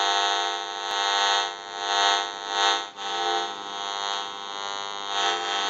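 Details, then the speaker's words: General Electric 27909 cordless telephone with a transmit issue, on the bench at dial tone; steady buzzy drone of stacked tones over hiss that swells and fades, radio-frequency interference from the phone's signal leaking into the audio. "so if you hear that while we're checking the unit out it will be coming from the frequency"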